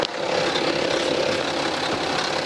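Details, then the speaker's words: 2011 BMW X3 F25 30d diesel, 168,749 km, idling, recorder held at the engine: dense metallic chatter, periodic noise louder toward the rear of the engine; stretched timing chain suspected, later confirmed faulty. "아 현재 이 촬영에 경우에는 제가 생각하기에는 소비 타임이 체인이 늘어진 걸로 판단이 들어요 타이밍 체인 소음이 라고 생각이 들고요"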